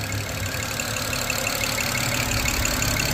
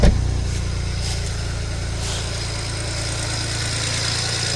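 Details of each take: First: 2007 BMW 335xi twin-turbo inline-six AWD, revived non-runner, possibly low on old fuel: light, quick ticking over steady idle about three per second, top-end tap; owner guesses one noisy lifter, unsure. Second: 2007 BMW 335xi twin-turbo inline-six, first start after refitting the valve cover, spark plugs and injectors and priming the fuel pump: the engine catches and settles into an even, steady idle, all six cylinders firing.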